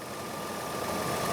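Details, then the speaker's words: 2001 Nissan Pathfinder LE, VQ 3.5L V6, heard with the hood open: steady, even idle hum with no knocks, ticks or misses. Engine healthy and smooth. "Idling very happily. There's our tried and true V6. And yeah, it's just very honest under here."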